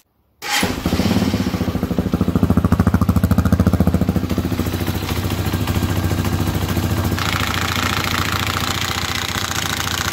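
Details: 2020 Hawk DLX 250cc EFI motorcycle, single cylinder, 439 miles: a fast metallic rattle rides over the steady idle beat, caused by the centrifugal oil filter nut backing out and spinning loose; metal was found in the oil.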